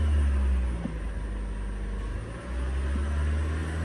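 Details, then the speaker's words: Toyota Camry Hybrid at its 100,000-mile service, after inverter and engine coolant change, held near floored to warm up and cycle coolant: steady, deep, even high-rev drone with no knocks or rattles; normal high idle while warming. "It's been a few minutes, temperature's getting up there. I basically got it floored."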